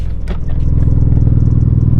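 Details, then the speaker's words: Mitsubishi Evo 8 turbo four, warm: loud lumpy stumbling idle, bad misfire; runs fine cold but dies once warmed up; cam and crank position sensor codes stored, owner plans to swap cam sensor first. Cause not confirmed. "So we are having a really bad misfire right now, and if I pull up the codes, we have a cam position sensor code and a crank position sensor."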